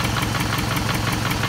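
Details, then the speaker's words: 2006–2008 Toyota Camry 2.4 engine at idle: sharp, quick ticking about six times a second. A replaced lifter did not cure it; the noise was traced to a leaking exhaust manifold, and the manifold/catalytic converter is being replaced with a new gasket. "this is a 2006 2008 uh toyota camry bbti engine uh save a lot of noise for i think the exhaust adjust manifold noise from there uh i change a lifter it doesn't work still noise"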